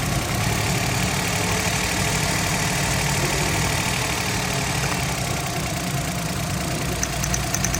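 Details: Suzuki Alto 2012, cold engine started after adjusting jammed tappets, the cause of hard cold starts, unsteady rpm and P0301 cylinder-one misfire: steady low idle hum with a light, even patter, no stumble or skip. No codes return and the engine idles normally.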